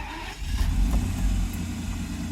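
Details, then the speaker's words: Mercedes S600 W140 cold start, about 47 degrees, after starter repair and lubrication: brief quick crank, then catches and swells into a deep smooth rumble; starts easier and faster than before, when it had once failed to start. "but the idea here is after all this work card does start as a matter of fact it actually starts easier because now the start is all lubricated it is really quick"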